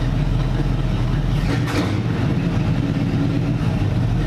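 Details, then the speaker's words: NASCAR V8 after swapping in MSD Blaster 2 coils, 14 degrees initial timing: deep steady rumble with crisp, snappy throttle blips rising and falling quickly; clean running, the coil swap fixed the problem. "Oh wow, just a little touch of the throttle. Breathe on it and it's revving up. Oh, that's snappy!"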